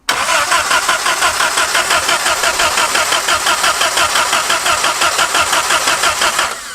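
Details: Abandoned 1950s-60s Willys Jeep truck at first drive attempt, full throttle with a little choke: even starter churn about three beats a second for six seconds, never firing; no spark, coil believed burned up by leaving the wire on.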